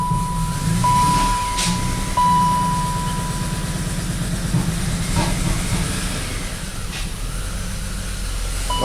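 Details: BMW X5 with a persistent misfire, started on a cold day (about 20°F) after new spark plugs were fitted and codes cleared. Lumpy idle with skipped pulses over a hiss. Owner suspects MAF or oil burning from high mileage, and notes an injector not firing.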